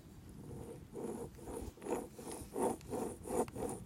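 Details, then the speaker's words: Old wheel hub assembly removed from the car and spun by hand, compared with a new silent one: dry gritty rasping, seal broken and grease leaking; worn wheel bearing, noisy at high road speeds. "so you know this is bad if you do it slowly you don't hear it when you're gonna high speeds you hear it then that's the noisy part"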